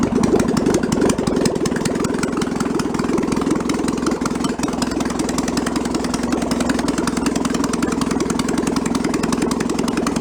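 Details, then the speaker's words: 1966 VW Bus flat-four engine from a barn, running out of the car, unrebuilt carburetor: even, steady idle patter with no misses or knocks; idle coming down as the automatic choke warms up, normal warm-up. "it's got a stepper on this is as the choke warms up it turns itself off and the idle comes down lower and lower"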